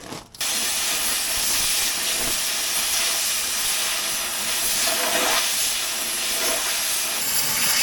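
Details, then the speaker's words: Cutting torch hiss broken by small pops while cutting steel on a Kenworth W900L dump truck. Rust pops back into the tip holes and clogs the center oxygen hole, losing the high-pressure jet that blows molten metal away: a clogged cutting tip. "the molten metal across if that clogs up or like you hear that pop what happens is that's rust popping the rust pops it pops back in these holes and it clogs them and then you don't get you don't get the high pressure of air to blow the molten metal"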